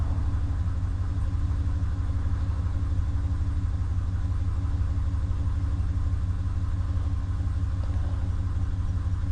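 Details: 2019 Ram 1500 that had a no-start with no power, now running after the RF hub module was cleaned and its suspected shorted capacitor removed: smooth, even low idle rumble with a steady beat, no misses or knocks; normal idle.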